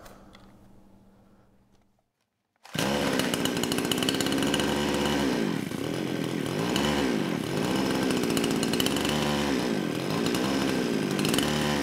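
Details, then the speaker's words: Kraftworld KW-5800 58cc Chinese chainsaw, run on straight fuel, low compression, suspected burned-up engine; on choke, low-speed jet two turns out, one to three turns made no difference: rough, sagging and surging, never clears; won't rev, runs only on choke. "and yeah that's that's all it does you know I spent quite a bit of time on the lost footage trying to tune the carburetor anywhere from one turnout all the way to three turns out on the lowp speed jet and there's really no noticeable difference as far as how it reacts"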